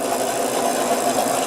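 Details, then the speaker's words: Giant bike on pre-service check, rear wheel freewheeling: fast, dense buzzing rattle felt through the frame, from a noisy freehub body. "and then we're just free wheel because we noticed it's noisy when it's freewheeling."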